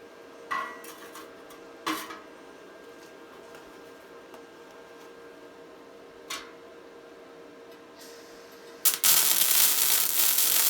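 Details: Tesla MIG 260 MIG welder: a few clinks, then a dense, even fabric-tearing crackle with no pops or heavy spatter, the sound of a correctly set welder.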